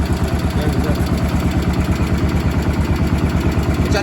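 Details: Cub Cadet 1250 hydrostatic single-cylinder engine, revived after sitting about 20 years, carburetor adjusted to run right: steady, even thump about two beats a second, quiet, no smoke, no misses; normal idle.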